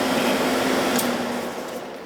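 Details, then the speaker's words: Old R22 Carrier AC that iced up, indoor blower running after replacing a capacitor that measured 2.7 instead of 7.5: smooth, steady airy whoosh and low hum with no rubbing or rattle; normal blower fan run. "All right, so let's turn it on and see if it starts. Okay, so the fan's running."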